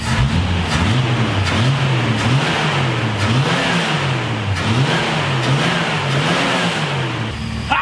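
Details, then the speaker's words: 1970 Dodge Challenger with 225 cu in slant six, after a tune-up, a new carburetor and new suspension and steering parts: revs up and drops back cleanly several times, pulling smoothly with no stumble or knock; normal revving. "man let me tell you what this thing runs damn good now listen to this"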